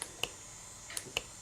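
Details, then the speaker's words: Classic car points-and-coil ignition on test: sharp, dry snaps, about five in under two seconds with quiet between, as the points switch the coil and produce a good spark. "see that look good spark now"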